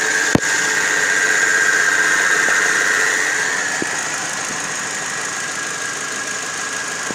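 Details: Car engine at idle with AC running: steady high squeal with a light tick about four times a second, appearing when the AC is on; cause not pinned down.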